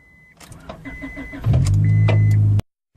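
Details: 2000 Honda Accord after starter replacement, run on old battery with booster pack: door chimes and clicks, quick crank catches cleanly into steady, even idle before being shut off; normal start.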